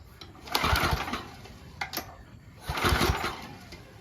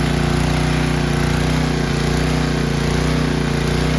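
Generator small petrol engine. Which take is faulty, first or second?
first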